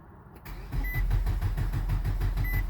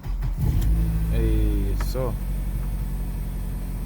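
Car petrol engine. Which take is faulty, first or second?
first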